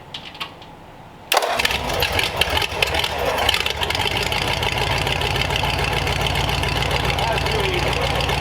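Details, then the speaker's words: Replacement flathead (35/6 block, fitted with known good parts) for 1934 Ford on a run stand with open headers, first start with choke before adding coolant; catches after short crank, steady even idle, good oil pressure; normal. "headers make it sound cooler than it is all right well we got a good oil pressure and uh everything else seems all right"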